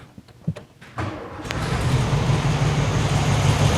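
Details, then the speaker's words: 1972 VW Super Beetle air-cooled engine, first start after adjusting valves on one side where a swivel-foot rocker was way off and clanking: a few ticks, then an even, steady low idle with no valvetrain clanking, warming up; normal idle. "oh that's much better I'm just going to let it warm up and see if anything weird happens"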